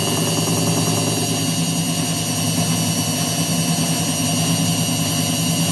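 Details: Indesit WITL106 washing machine on spin: steady hum with loose, uneven thumps about once a second underneath; drum knocking on spin with vibration, cause still being sought.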